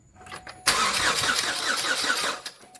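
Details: 2008 Chevy Cobalt bought as seized with no battery, on jump box: strong, even cranking for nearly two seconds that never fires; engine and camshafts turn freely but won't start, cylinder 4 plug lacked fuel.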